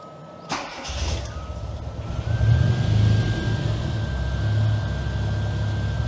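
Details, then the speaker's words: Classic Mini MPI after engine rebuild and head gasket repair: quick crank, catches, faint whine climbs slightly, then a steady even idle with no knocking; running normally now. "interestingly enough it seems to run normally now"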